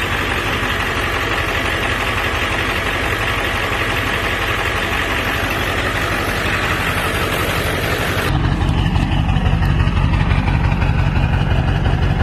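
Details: 1999 Ford F-350 crew cab dually diesel, ZF6 transmission, about 299,000 miles, engine resealed, new water pump and thermostat; steady even diesel clatter at idle, deep regular rumble, no misses or knocks, healthy.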